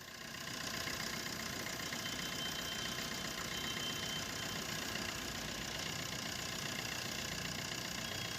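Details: Maruti Suzuki Swift VDI diesel at idle after the AC compressor bearing, which had dried out and made a grinder-like noise, was replaced: steady, even clatter with smooth hiss, no grinding or rumble from the belt drive; noise gone, healthy.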